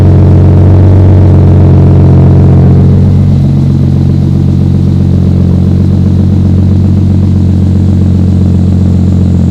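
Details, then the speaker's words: 1993 Toyota Supra RZ JZA80, 2JZ-GTE twin turbo, Blitz exhaust and ECU, warm steady idle around 1000 rpm after a light rev, smooth with no skips; misfire and hunting idle under diagnosis but not occurring now. "right go go I didn't seem to be misfiring so far it sounds pretty good"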